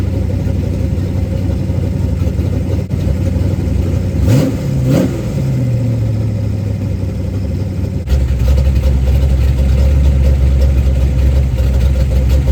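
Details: 1990 Lincoln Town Car 5.0 V8, T-5 manual, 650 Holley double-pumper carb, GT40 heads, MSD ignition, first fire after carb assembly; steady idle with two quick clean blips that rise and settle smoothly, runs better than expected: normal idle and rev.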